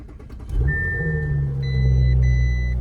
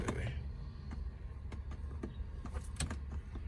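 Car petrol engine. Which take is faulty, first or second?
second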